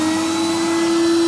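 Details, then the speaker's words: Numatic Edward EVR370 vacuum cleaner bought used, which ran poorly when first tried and arrived covered in grease: loud steady motor whine at constant pitch, no surging or rattling, runs well though noisy; normal running. "bad it's low oh that does run well"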